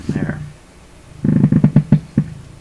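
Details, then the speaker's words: Canadian Pye Model 39HC radio during tone/feedback-circuit experiments: on the next tone setting the speaker gives low, soft, slightly uneven putt-putt thumps about six a second, the same motorboating as before. "next setting same motor boating"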